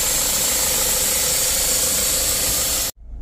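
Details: Mazda CX-5 2.2 SH diesel after a dual turbo replacement for jerking, low power, smoke and a mechanical turbo code: even idle with steady hiss and clatter, no whistle or whine, then shut off; healthy.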